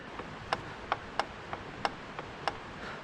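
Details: Bicycle steering head: sharp dry irregular clicks about every half second, crisp knock on each crank-arm tug; knocking returned after about 50 km despite an earlier fix, final cause the lower headset race.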